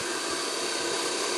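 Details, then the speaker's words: Refurbished heater blower fan from a Flathead Ford project, motor wiring repaired, positive ground, bench-run: steady even airy whoosh with no rattle, scrape or wobble; motor sounds like brand new. "so that's not too bad and sad look sounds like brand-new"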